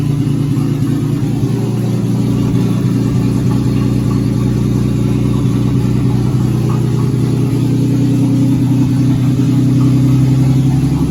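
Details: 2004 Ford BA Falcon XR6 started for the first time in three years, fluids checked: six-cylinder settles into a steady, even beat and revs cleanly with no knock or misfire; normal running after long storage.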